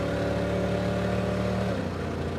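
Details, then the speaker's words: 350 cubic inch V8 with automatic transmission drones at steady revs, then lets off; uneven beat down on cylinders, misfiring badly as if running on about 220 cubic inches, very little power at wide open throttle. "oh I can hear the misfiring of a 350 cubic inch V8 that's probably running on uh 220 cubic in right now ah run so bad"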